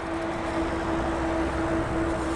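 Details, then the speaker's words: Rize e-bike disc brake, left brake lightly applied at walking speed in a covered area: a loud, high-pitched dog-howling squeal. New pads were as noisy as the originals despite degreased and sanded rotors; cheap AHL pads later cured it. "i was just lightly applying the left brake and it was just horrendous dog howling squeal"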